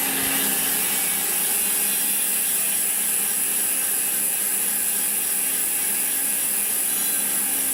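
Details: Koozer XM90 hub on Saracen Cross 1 bike, 5 days old, after 200 km of hard trails, recorded on camera mic: fast, even, high-pitched buzz of pawl clicks as wheel coasts, no grinding; healthy freewheel.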